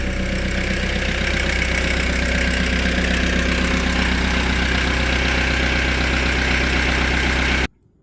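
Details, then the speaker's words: VW T4 Transporter 1.9 TD diesel after standing, started just after a new ignition barrel was fitted: loud, even clatter at a steady cold idle, runs smoothly; normal, noisy-when-started diesel idle. "okay that changes things so yeah they're always noisy when they start these especially if theyve been left the one 19 TD"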